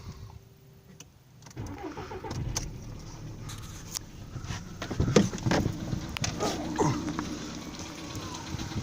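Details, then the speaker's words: VW Polo Sedan cold start in snowy weather: engine catches, then loose uneven knocking under rough idle; owner suspects piston knock, one or more pistons. "итак слышен характерный сук в моторе как говорят люди это стучат поршни ну либо какой то один из них"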